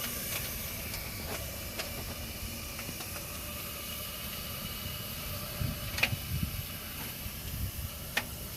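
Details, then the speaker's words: Bryan steam tractor water-tube boiler, burner just lit on gasoline during warm-up: soft steady hiss with scattered light ticks and pings as the tubes heat; burner runs evenly and sounds healthy. "So everything sounds good. It's working good. It's heating up."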